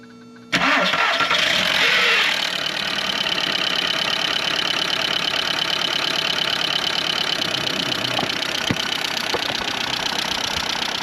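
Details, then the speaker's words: Audi A2 1.4 AUA petrol engine after replacing hydraulic lifters and timing belt; starts at once, then loud fast metallic clatter rides over the idle constantly; valvetrain clatter persists, owner suspects piston slap or worn-out engine. "aber hört mal, da ist es hört sich immer noch sehr laut an, ne? Glaube der Motor ist einfach hinüber."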